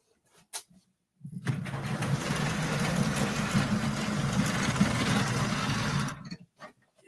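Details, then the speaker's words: Model railway coach running at Partick Hill Station layout: steady rush with fast, fairly even rattle about four beats a second; cause unknown. "can still hear the rattle yeah george nice to meet you drop by come again"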